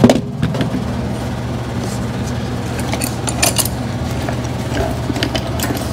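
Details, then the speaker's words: 2013 Lennox AC system with a previously replaced blower motor: steady low hum with a shaking drone and a few clatters; noise traced to the blower motor. "so i think whatever it is coming from that blower motor guarantee it's coming from that blower motor"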